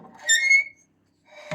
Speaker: et ça chouine bien. C'est sec tout ça.